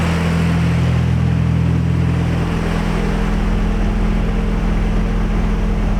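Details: Nissan 240SX S14 with a KA24DE, first start after reassembly and oil priming: a steady idle that drops and settles lower after a couple of seconds, even and smooth with no knocks. The engine sounds healthy.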